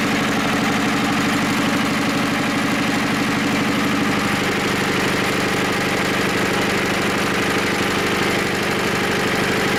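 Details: Diesel engine with glow plug, unstarted for about 3 months, at about 5 degrees: heavy even cranking chugs at about three per second with no catch yet. Hard cold start.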